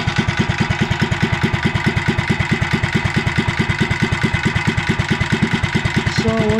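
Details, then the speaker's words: REO Trikeabout small single-cylinder engine idling cold at about 550 RPM on the cam while warming up, with governor just installed: slow, regular thumps holding steady; owner thinks it runs a little rich or lean and blames the cold; normal cold idle. "It's really cold, so that's why it's running the w"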